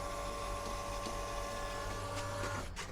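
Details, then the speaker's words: Off-grid water system pump on newly glued, partially finished pipework: steady hum and whine runs long before switching off, as much air in the new line must be compressed. "yeah, there we go. But there's quite a lot of air in the line, so it might take a fair bit compressing that."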